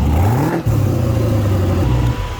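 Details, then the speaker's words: 2018 Camaro ZL1 parted out, LT4 V8 with 10-speed auto on a turnkey pallet, fired up: deep smooth V8 rumble climbing with a quick rev blip, settling to an even pitch with no knocks or rattles; healthy engine, "sweet music." "is sweet music, folks."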